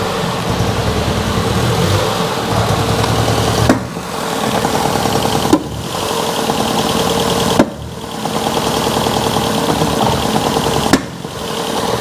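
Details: Ford Fiesta Mk7 1.25 Zetec salvage car after coils and leads refitted: idle stumbles and hunts with a dip and clunk every couple of seconds; misfire persists, owner wonders if the ECU cuts two cylinders, cause unconfirmed.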